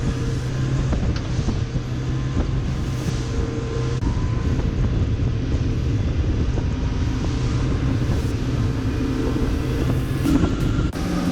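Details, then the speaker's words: Outboard boat engine after carbon cleaning, leak-down under 20 percent, JB Weld repair, running under load on water at 6300 rpm wide open throttle: deep, even drone, no misses or knocking; normal running. "boat's running smooth got 6300 wide open throttle no issues"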